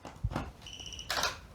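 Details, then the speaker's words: Sovol SH03 filament dryer plugged in: a single high electronic chirp among light clicks, handling noise and the mechanical sound of the motorized vents on power-up; normal startup. "Then we plugged it in and it came to life right away with a chirp and the mechanical sound of the vents."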